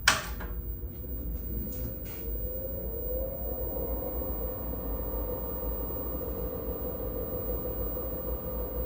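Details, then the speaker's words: IBM PC XT 5160 smoke test: a clunk at switch-on, then only the power supply fan hums. The hard drive does not spin up and there is no POST beep. "Yeah, hard drive didn't spin up. I can just hear the power supply fan or >> The floppy just don't even didn't beep."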